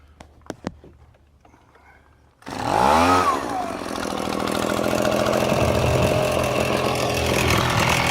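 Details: Echo handheld two-stroke blower: quick pull, catches and screams to clean steady high revs, pulling strongly without stumbling; normal running.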